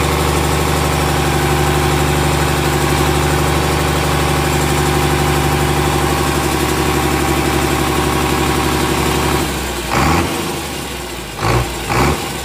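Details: Komatsu S6D125 diesel on test run after general overhaul (broken No.5 piston, spun No.4 conrod bearing; crankshaft, liners, pistons, conrods, bearings replaced; turbo repaired, FIP and nozzles calibrated); steady smooth idle rumble with faint air compressor hiss; normal running.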